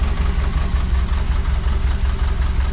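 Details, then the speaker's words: Renault 8 with freshly swapped 1397cc C2J engine, points ignition, Renault 8S carb, tubular manifold, custom exhaust, first start with exhaust on, choke tied: lumpy, unevenly pulsing idle because ignition timing not yet set; old spark plugs. Rough idle from incorrect timing. "running a bit lumpy but again the timing's out"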